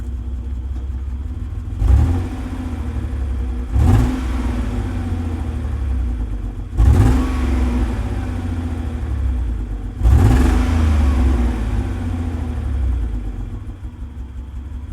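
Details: Base 1995 Mitsubishi 3000GT blipped several times: deep exhaust note turning choppy and fluttering on each rev, sometimes runs rough idling and driving, no engine light; misfire suspected, not confirmed.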